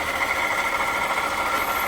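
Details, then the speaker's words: 2018 Jeep Grand Cherokee 3.6, underhood whirring complaint, idling, heard through a screwdriver held on top of the water pump: loud, constant high whirring tone; faulty water pump bearing, later replaced. "Ooh, yeah. Ooh, doggy. That's loud. So I know the noise is coming from there because I checked everything beforehand."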